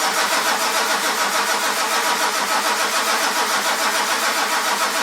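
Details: 1946 Ford truck with 1996 diesel swap, cold rainy day around 49°: steady starter cranking about three and a half turns a second with no catch; diesel cranks but won't start.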